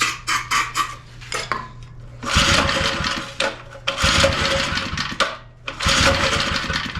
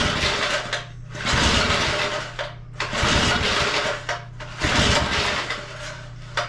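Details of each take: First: Small edger engine, which wouldn't run right, after backing out the fuel mixture screw, now idling low via the drive control switch. Low, even putter holding steady between a few louder bursts. Normal idle. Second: Second small edger engine, started after spraying car cleaner, choke status unknown. Uneven surging bursts with a harsh, raspy screaming sound on top. Recoil starter squeal; the starter seems to be dragging.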